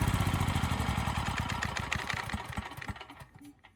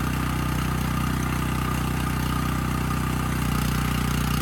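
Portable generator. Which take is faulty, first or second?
first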